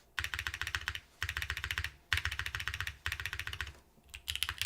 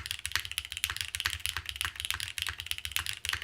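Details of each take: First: Keycult No. 3 TKL mechanical keyboard typing: fast, even key clacks with a deep low thud and no spacebar rattle; weird spacebar sound from gasket gone, normal clean sound. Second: Keycult No. 3 TKL keyboard, normal brisk typing about four keys a second with crisp clacks; harder hits give a faint rattle, thought to be the gasket bottoming out, force break suggested as fix.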